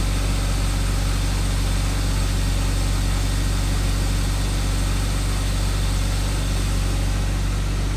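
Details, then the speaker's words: 1999 BMW E36 M3, low-mile car that sat non-running for years, fuel system primed before start: fixed and running with a steady, even low drone settling into a smooth idle, no knocks or misses. "i can't believe that i actually did fix it i have not heard that sound for so long i'm super excited"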